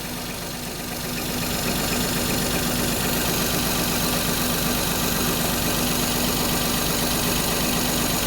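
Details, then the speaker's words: Perodua Kenari on 60,000 miles, in neutral after alternator replacement, power steering pump not yet refitted: steady, quiet, very low idle with no knocks or misses; old whine gone and charging voltage confirmed. "Make sure we're in neutralis. Wow, that's quiet. Oh, that's a very low idle, Desmond."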